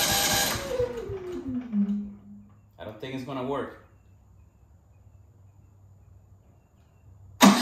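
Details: Genmax GM9000iED inverter generator after ignition module replacement: the pull winds down, the engine catches briefly with a few sputtery firings, then falls to a faint low hum. It is still hard to start; the new module did not fix it.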